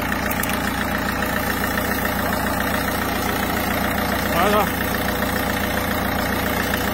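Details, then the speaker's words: Citroën C4 Picasso 1.6 HDi diesel (pre-05/2010): steady, even idle with smooth rhythm and no ticking or hiccups; engine running perfectly, normal idle. "la pluie moteur tourne parfaitement"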